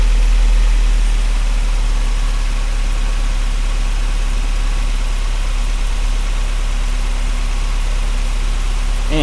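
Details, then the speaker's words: 1994 Mazda MX-5 Miata four-cylinder after replacing all four spark plugs and plug wires: engine catches and settles into a steady, even idle with no misses, knocks or stumbles; healthy running. "there it is, music to the home mechanic's ears."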